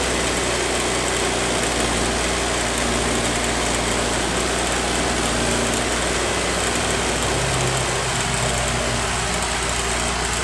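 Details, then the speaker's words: Honda Vario scooter after a dropped battery and repaired starter wiring, run about a minute with idle deliberately raised to charge the battery: steady, slightly raised single-cylinder idle with an even beat; normal fast idle. "Lamsamnya sengaja dibuat besar itu, biar ngisi akinya. Ini lamsamnya buat besar ini."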